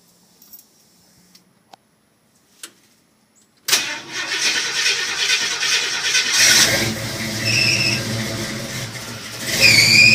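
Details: International Scout with throttle-body injection: a few quiet clicks, then long steady cranking before the engine finally catches and runs roughly. Hard starting.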